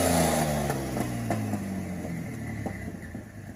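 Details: Turbo V6 Dakota with the new turbo, a rev dies back to an even, steady idle with no misses or knocks; no leaks, sounds healthy.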